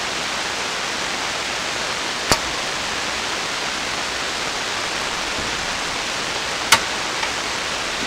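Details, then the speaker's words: Hammarlund SP-600 receiver with rebuilt RF deck, AM band, single conversion, antenna wire disconnected: steady even hiss with two sharp clicks and no signal. Receiver hiss; owner suspects a fault in the RF deck. "The fact is, for me, if I listen to that kind of hiss and noise and that really carefully, I start hearing things. I start hearing voices and stuff that probably isn't really there."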